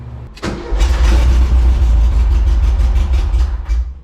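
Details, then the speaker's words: 1974 VW Bus with non-original engine, after sitting 10+ years: short crank, then it fires into a deep, lumpy idle; no fuel pump hum heard, though it is getting fuel. "do we hear the pump I don't hear a pump"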